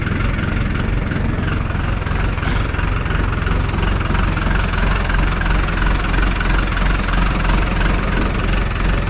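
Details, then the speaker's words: Farm tractor diesel after fixing slow cranking by adding a new ground cable from battery to starter motor housing: steady even idle, low thump near 170 a minute, no misses or knocks; normal idle. "there we have it lazy ground from the battery to the star"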